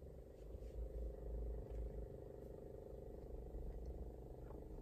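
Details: Kawai CA79 digital piano: steady low buzz with a rough, rattly edge, cause not identified.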